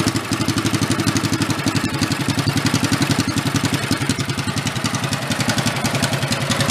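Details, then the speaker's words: 1965 Chevy Monza go-kart after fitting a bigger engine, started on choke with a little throttle: quick, even popping single-cylinder exhaust beat at steady throttle, no knocks or misses; engine running healthy. "she sounds pretty good huh pretty even awesome"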